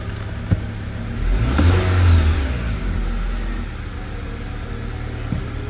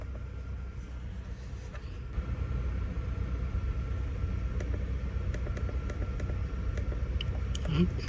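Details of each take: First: 2009 Acura TSX after new ignition coil fitted on cylinder 2 (P0302 misfire, flashing check engine light): engine catches cleanly, revs up smoothly and settles to an even, steady idle with no stumble; misfire fixed. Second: 2009 Acura TSX with flashing check engine light, idling: uneven, lumpy beat with occasional stumbles; misfire code P0302, mostly cylinder 2, diagnosed through plug inspection and coil swap.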